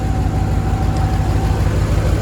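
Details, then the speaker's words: 1999 Dodge Dakota R/T 5.9 V8, 185,000 miles, holds good oil pressure; loud, raw, chuffing unmuffled idle pulsing low and deep from exhaust leak, downpipes rusted off where they meet the catalytic converter a few years back. "muffler or the down pipes right whenever it gets to the catalytic converter down here right when it meets the cat it um ended up rusting off a few years back"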